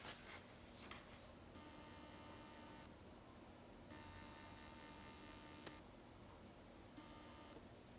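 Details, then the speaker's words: Eufy IndoorCam S350 4K dual-lens indoor security camera, panning: a faint, thin motor whir in short bursts over quiet room hum, barely audible. Normal, quiet pan movement. "I could barely hear it. How about if you can hear it when it tilts? I couldn't hear that one."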